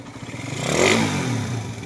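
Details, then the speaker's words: Engine refreshed five months earlier, noisy when cold: a quick rev with a rattly clatter riding on it and lingering as revs drop; mechanic suspects compression release or timing chain, not confirmed. "Ayan, may parang kumakalampag na naiiwang tunog. Ayan, oh. Sa mga ganyang tunog mga boss, pwedeng compression release talaga yan or timing chain."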